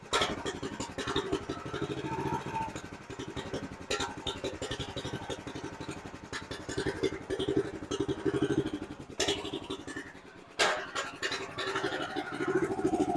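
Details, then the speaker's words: Honda GX390 single in 2005 Chuck Wagon 4x4 UTV after head gasket, valve lapping and main jet replacement: ragged, stumbling idle that never settles, idle screw adjustment makes no difference; rough idle, owner suspects misfire or piston/timing misalignment. "I think it's a misfire is what's going on uh it seems to still be idling rough and I really don't make any difference when I'm changing the idle pin"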